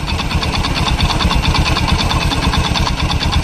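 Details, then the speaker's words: Honda Beat scooter at idle, front of engine: rough rapid "trek trek trek" rattling tick about three beats a second, like a loose piston; a loose roller housing was also found in the CVT; piston slap suspected, not confirmed. "di bagian mesin bagian depan ada suaranya truk trek trek trek seperti seher longgar lehernya seperti ada kelonggaran"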